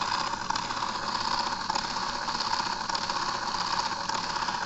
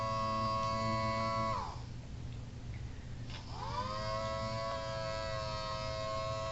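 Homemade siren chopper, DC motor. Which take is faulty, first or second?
second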